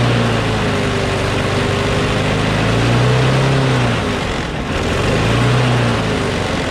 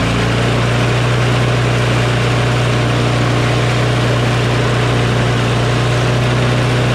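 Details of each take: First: Craftsman push mower with a Briggs & Stratton Quantum engine, about 23°F, after easing spring tension: steady, even drone with a slight rise and fall, sounding much better; slight vibration, owner suspects the blade is a little out of whack. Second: Craftsman push mower with a Briggs & Stratton Quantum engine, started cold at about 23°F after carburetor cleaning: loud, steady high-pitched drone with no hunting, overspeeding because the governor spring tab is pulled out too far, overtensioning the spring.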